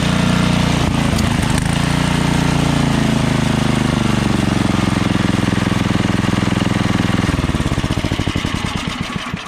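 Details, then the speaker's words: MTD Yardworks snowblower with Tecumseh 13 HP engine, 33-inch, running at high throttle: loud rapid small-engine run with occasional sharp pops; intermittent backfiring, owner suspects stuck valves or dirt in the carburetor, otherwise runs fine and powerful. "so as you guys can hear it's kind of like not yeah a little backfiring right so uh the valves might be kind of stuck you know what i'm saying either that or the carburetor might have something dirty inside"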